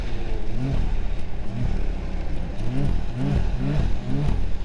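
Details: 2023 Ski-Doo Grand Touring Limited turbo snowmobile with an electronic throttle that feels laggy. Short throttle blips each rise in pitch and drop off over a steady engine drone, with turbo noises; it is running normally.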